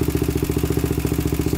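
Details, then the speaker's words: 2000 Honda 400EX with cheap eBay piston and cylinder, first start: single-cylinder idle, loud and rattling, nearly cutting out, with a light tick in the top end from a loose cam chain. "i don't know what you guys think sounds kind of kind of weird like there's a tick in the top end"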